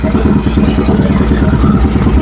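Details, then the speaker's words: Honda Vario 110 carburetted scooter after engine rebuild, recorded at the exhaust: even, quick putter with loud raspy note, no knocks or misses while throttle is blipped; smooth, healthy idle. "Lembut bukan? Kita tarik gas ya. Oke, teman-teman ya lembut ya suaranya ya."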